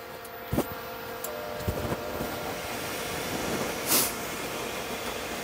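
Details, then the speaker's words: Hayward 250FDN gas pool heater starting from standby, water at 65°F set to 79°F, after ignition manifold cleaning: steady airy rush, faint hum and light clicks as blower runs about 30 seconds pre-purge; normal before ignition. "comes the blower starting up, make sure the vents are clear. At least that's my understanding of what it does. It runs for close to 30 seconds or so."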